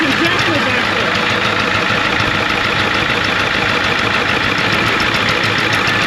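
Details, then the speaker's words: 1993 Ford F250 IDI diesel: loud clattering idle with uneven knock about three times a second from one side of the engine; one injector found very loose, squirting fuel back out. "it's definitely sounding like something's going on this side of the motor"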